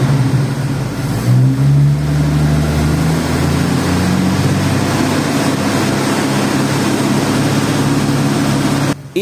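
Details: Chevrolet 292 six-cylinder with electronic-ignition distributor, after an Equus tachometer install: picks up cleanly from idle and holds a strong, steady rev with no knock, miss or rattle; healthy engine.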